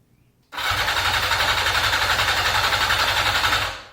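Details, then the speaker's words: 1982 Yamaha XJ550 Maxim that sat 25 years, carbs rebuilt, clutch in: starter spins it briskly with even compression pulses, about four a second, but it never fires; cranks fine, no spark. "Turns over. Sounds like it's got compression. It does have 4 plugs in it. I didn't see any spark."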